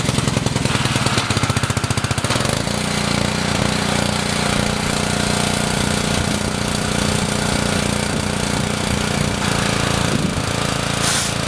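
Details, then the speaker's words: Honda GC190 engine on a pressure washer with about seven years of no maintenance, after carburetor cleaning and an oil change: loud chugging settles into a steady single-cylinder beat without stumbling or surging. "all right sounds pretty good but uh I'm going to use it here for about a 15 minutes the spray on this wheel horse"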